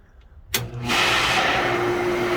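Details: Pool pump that will not prime in pool mode, run through the spa line: click, then the motor spins up within half a second to a steady hum with a smooth rushing flow; running normally.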